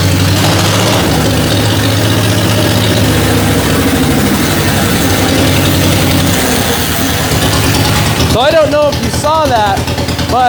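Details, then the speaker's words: 1949 John Deere Model M tractor after starter button repair, plugs fouled and smoking; engine catches and runs with steady even chug, no misses; starter circuit working, normal idle. "She was definitely fouled out on the plugs, but it is working right now."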